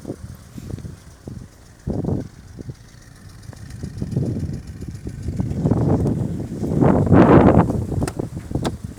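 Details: Opel C18NZ engine: uneven knocking pulses over rough, lumpy running, louder with revs; compression 5, 5, 11.7, 13.5; head gasket blown between cylinders 1 and 2.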